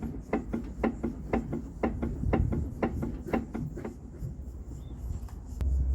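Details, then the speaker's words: VW (Polo/Gol family) parked, body rocked by the pillar: sharp hollow knocks about two a second from play in the front link; worn stabilizer link (bieleta) causing suspension knock. "eu vou mostrar para vocês o barulho que ela faz aqui na minha mão com a folga é menor porque a força aqui também é menor mas dá para perceber aqui a folga"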